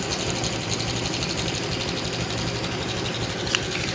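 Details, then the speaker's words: 2018 Honda Vario 125 scooter after valve clearance adjustment, idling: even low hum with fine mechanical chatter, earlier rough ticking gone, so the fault was only valve adjustment. "Nyalakan motornya sepertinya sudah halus ya teman-teman Ya kemungkinan ini hanya cuman setelan klepnya aja yang bermasalah ya motor sudah halus teman-teman"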